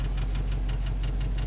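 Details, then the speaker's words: 1963 Chevy V8 pickup with new carburetor, water pump and hoses: steady fast idle that won't kick down to base idle; owner suspects something hung up. "I can't get it to idle down it should be it should cick down kick down a little bit so I think there's something hung up in there"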